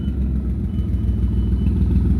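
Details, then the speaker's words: Car's muffler ripped off after falling off several times before: deep, loud, raspy idle rumble as the exhaust blares without the muffler, before a DIY can-and-strap repair. "So today I'm going to be fixing my exhaust leak. It had got ripped off. It has fell off a few times in the past. I'm not super great at staying on the road. You can hear how loud it is."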